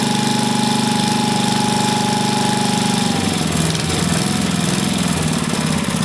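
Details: Vintage single-cylinder engine, a free neighbor engine just reassembled with its carb cleaned, chugs steadily, then turns ragged, sagging and wavering; the unlinked choke plate flaps and nearly kills it, so it needs a linkage.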